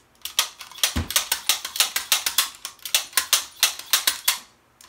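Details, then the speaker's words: MAC Cobray M11/9 SMG in full-auto mode, bolt locked open, during a dry function test. Crisp, evenly spaced clicks about four to five a second show the full-auto trigger group working normally. "that's the way it should work in full auto"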